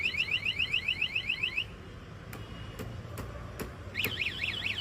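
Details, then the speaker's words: Anti-theft alarm on a new, unregistered Pulsar bike, triggered by touching the locked bike: fast high warbling chirps for about two seconds and clicks, then a changed rising-falling tone, as happens when someone breaks the lock. "வண்டி lock பண்ணிட்டு நீங்க விட்டு போயிட்டீங்கன்னா யாருன்னா லைட்டா வந்து touch பண்ணாவே திருட வந்து டச் பண்ணா கூட சவுண்ட் வருங்க."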